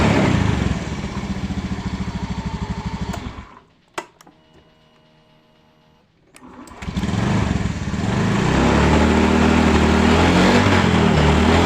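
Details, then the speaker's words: Honda Beat FI scooter after a sudden-stalling problem traced to a dropped old battery that would no longer hold charge even after charging, replaced with a new battery: the single idles steadily, dies, restarts cleanly and revs smoothly. Normal idle and revving after repair. "Oke untuk permasalahannya atau kendalanya sudah bisa di atas ya ini sudah Mantap sudah jadi"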